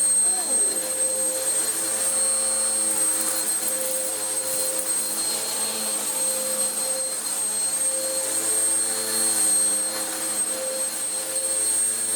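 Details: Vax Power U84 vacuum cleaner after a new belt fixed the belt running off centre: steady, even motor hum with a smooth high airflow rush and no slapping or squealing; runs properly despite a suspected air leak.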